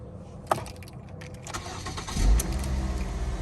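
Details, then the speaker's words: 2008 Ford Focus SE 2.0 L with new battery, after a no-start, during OBD2 scanner battery test with headlights off: quiet cabin, short crank catches cleanly in about two seconds, settles to steady even idle — normal start. "okay so now it says turn the headlights off so we're gonna turn them off real quick okay they're off we're gonna hit this button okay now we're gonna start engine okay"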